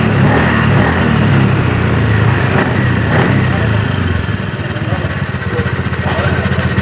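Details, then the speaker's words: 2018 Honda Scoopy scooter that was noisy from the CVT and down on power from metal-on-metal clutch wear, after new clutch linings: throttle blips pull cleanly with a smooth, even drone and no rattle; normal CVT operation. "jadi Baiklah proses pemasangan kampas ganda sudah selesai jadi ini sudah posisi normal tidak ada suara lagi bisa teman-teman kawan-kawan dengarkan Hai"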